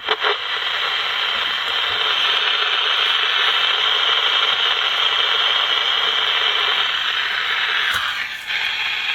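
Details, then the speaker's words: GE P-815A seven-transistor radio after replacing a capacitor: steady, hissy station sound with no dropouts. IF now works, though speaker distortion remains. "What's the volume control? Sounds the if sounds like it's working now."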